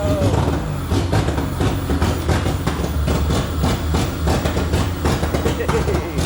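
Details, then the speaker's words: K24-swapped EK Honda Civic just fired up for the first time after the swap, producing heavy smoke: uneven lumpy pulses over heavy low rumble instead of smooth idle; rough running. "Oh We're about to smoke ourselves out. Look behind you. Maybe the engine wasn't so good."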